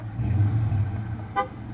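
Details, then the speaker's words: Ram 3500 hauling a track loader over Donner summit: a short, clear, strong horn honk over a low engine rumble; the horn works, and the AC works too. "oh hey the horn works ac work too making noise that's that's close"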